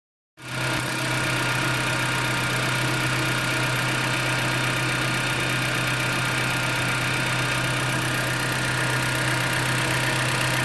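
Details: 2010 Jeep Patriot petrol engine idling: light fast ticking about four a second over a steady hum.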